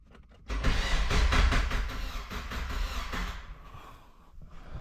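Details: NB Miata starter cranking on the factory positive cable, before a bigger power-wire upgrade: a low, lumpy churning for about three seconds without firing, then winding down; it sounds weird, almost galloping. Normal starter cranking.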